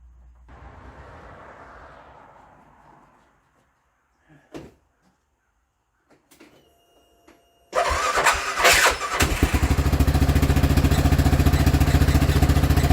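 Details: CF Moto Z6 first start after rear crankcase seal replacement: quiet handling noises, then it catches at once and settles into a smooth, even idle with no knocks or misses.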